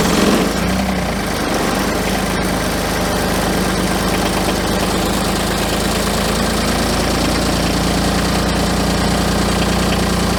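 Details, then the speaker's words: New Kubota BX23S diesel tractor, likely on summer fuel, just started at about -30°C after -40°C night, glowed 30 seconds: steady, rough cold diesel clatter firing evenly without stumbling; normal cold idle. "So as you can see, it actually did fire up. Yeah, it just glowed it for about 30 seconds there and away it went."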